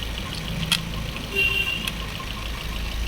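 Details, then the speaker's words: Maruti Swift BS6 with CNG after replacing three ignition coils: steady, even low hum of a smooth idle with no stumble; the heavy misfire is cured. "अब गाड़ी silent हो गई है"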